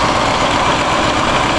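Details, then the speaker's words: 1965 Ford 352 V8 freshly rebuilt, first start-up: steady, even idle with deep smooth exhaust rumble, no knocks or misses; exhaust expected to sound better once glass packs are fitted. Normal idle. "exhaust sounds good listen to that boys oh yeah this s better when I get glass packs on it"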